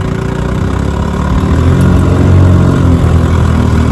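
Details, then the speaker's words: Fully restored 1957 Johnson Sea Horse 10 hp QD18 outboard with rebuilt carburetor and magneto, lake test after about 10 minutes' running: a steady low two-stroke burble at about three beats per second with no misses or knocks. Normal running. "I mean, she runs great. I've been running her about 10 minutes now."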